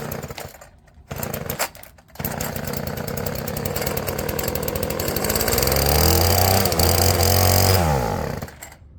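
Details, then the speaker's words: Old Stihl FS36 two-stroke string trimmer with clunky recoil, restarted on added fuel: catches and rattles unevenly, revs up and holds briefly, then dies; runs only on added fuel, owner will go through the carb. "Yeah, it definitely has promise. Definitely has promise."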